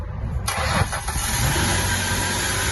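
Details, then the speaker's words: Mustang 3.8 V6 after a cylinder head reassembly, on a second start attempt after the first start died (blamed on the filter), with the cooling system not yet filled. The starter cranks briefly and the engine catches and settles into an even idle. "yes it sounded good we start the car but the engine start off because they filter"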